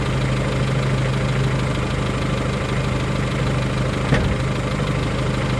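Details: 1993 Geo Tracker engine at idle: dull, even low knock under the engine note that sounds like possible rod knock, not confirmed; owner seeking opinions before pulling the motor.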